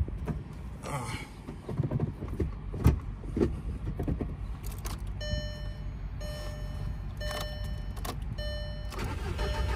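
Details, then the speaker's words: VW 20th Anniversary GTI 1.8T after fuel pump replacement (old pump quit, left car stranded); key-on, pump so quiet it's barely heard, short crank, engine catches and settles into idle, though it doesn't like the idle; spark plugs rough. "on I didn't hear the pump oh there she is okay okay I didn't hear the bump it's so quiet"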